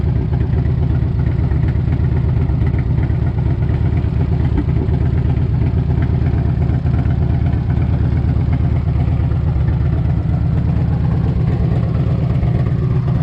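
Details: 1998 Harley-Davidson Electra Glide Classic, almost 100,000 miles, very hot engine, idling right after a 20W-50 Valvoline VR1 oil change to fill the filter; deep, loping V-twin rumble with light valvetrain clatter, no knocks or misses. Normal healthy idle.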